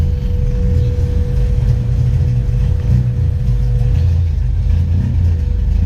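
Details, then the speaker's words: 1997 Honda Civic EK just after a Walbro 255 lph fuel pump install: a deep, smooth, steady rumble with no misses, surging or knocks. The engine runs normally and no leaks have been seen. "yeah no I'm just gonna turn it off because I know it works now haven't seen any leaks but I'll check in a minute"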